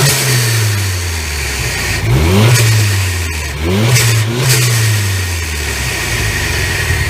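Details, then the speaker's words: After installing a new turbo and tuning the blow-off valve for low boost pending a fuel pump upgrade, the engine revs twice and each lift-off gives a clean, solid whoosh with no flutter or compressor surge: a normal, correctly tuned blow-off valve. "all right right you see how that sounded like a it's a solid like whoosh sound not like a flutter or anything like that that's how you want them to sound"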